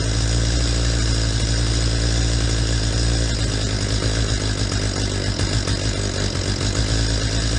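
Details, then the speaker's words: Stihl MS250 chainsaw during carburetor mixture adjustment after cleaning: revs scream up to a peak then sag and stutter; mixture too lean, screw backed out about a half to three-quarter turn past the peak. "so I just shut it off real quick you could hear how that saw reached a point where it was revving at a peak and then it started to fall off the edge and in stutter"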